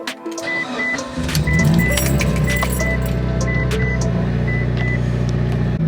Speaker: that literally sounded so much louder than normally does it literally sounded like I started it with my foot on the gas